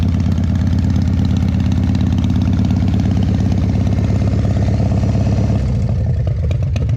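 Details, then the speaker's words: 2001 Indian Scout V-twin, 7k miles, cold start at about 50°F: lumpy idle near three beats a second with sharp irregular pops on the exhaust note from an air leak at the front exhaust pipe. "There's an air leak, so you'll hear some popping, but don't freak out about it."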